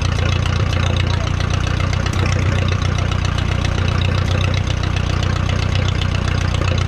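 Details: 1957 Case 310 Terratrac loader, unrun for over 20 years, restarted after stalling. It idles with a loud, loose, uneven floppy thumping; they suspect low fuel pressure, though compression seems good.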